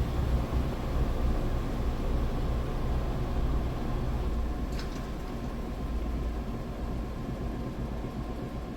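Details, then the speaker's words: GE 2.8 cu ft top-load washer, first spin after wash, test load with a capful of bleach: smooth steady low rumble with no knocking or thumping; spinning fast and balanced. "So here's its first spin, extracting out the used up what would be soapy water."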